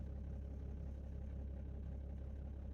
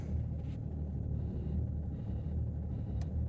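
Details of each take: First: 2008 BMW 330d diesel with smoke and lumpy idle for the first minute after start and glow plug faults. After a new module was fitted and codes cleared, it runs a quiet, even idle with a steady beat and no misfire; maybe not cold enough to show faults. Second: 2008 BMW 330d, cold start around 10–12°, excessive smoke and lumpy idle for the first minute, glow plug activation fault: deep diesel idle with a slight regular lump felt through the seat; rough cold idle, glow plug fault.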